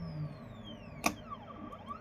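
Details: Anycubic M3 Max resin printer with perforated build plate and thermal vat band heating resin to about 36°: quiet room, one soft pop as the layer releases, then gentle rising and falling lift-motor whine; clean normal peel.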